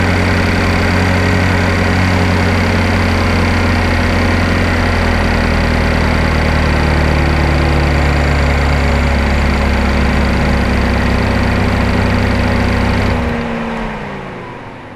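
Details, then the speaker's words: 2012 GMC Terrain 2.4L EcoTec after timing chain and balance chain replacement: even steady idle, no rattle or knock, much quieter; brief startup noise faded, likely as the new chain tensioner took up slack. "So that is a ton quieter. The noise that you heard when it first started up was about where it was at before I thought we had a complete timing chain failure."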